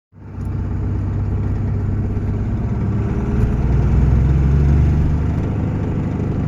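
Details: 2001 Cummins diesel while driving: heavy drone with a rough, uneven rattle, almost like an exhaust leak.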